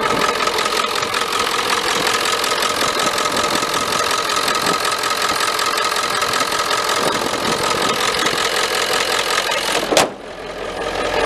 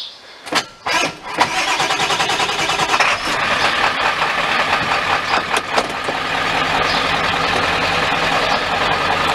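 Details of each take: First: 1995 Ford F-350 7.3L diesel with hard-starting complaint, mic down by the starter. Steady idle with a busy light clatter and no speed change until it cuts off abruptly. Charging normal, oil pressure good; owner suspects a bad spot on the starter. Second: 1995 Ford F-350 7.3L diesel, previously hard to start, after splicing the speedometer sensor wires. A few short cranking bursts, then it catches within about 1.5 seconds and settles into a steady, even idle: a normal start.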